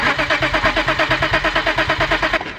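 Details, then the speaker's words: BMW E34 525i that suffered a blower motor fire, cranked on starting fluid: an even pulsing starter rhythm of about seven beats a second, but no start. The owner concludes it is not fuel and suspects power to the harness (C101/C103). Not confirmed. "right well ultimately it's not starting with starting fluid then that means it's not fuel that means we are in fact having an issue with power to the harness"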